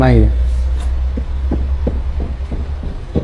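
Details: Car driven slowly: over a low driving rumble, dull knocks come roughly three per second; front steering rack worn out and knocking.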